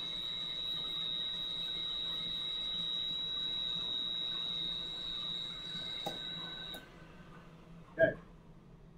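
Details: Valve grinder dressing the back of a valve head as it is run back and forth, with lubricant flowing: a steady high-pitched squeal for several seconds, then it stops. Normal grinding, so the valve seats flusher for better compression.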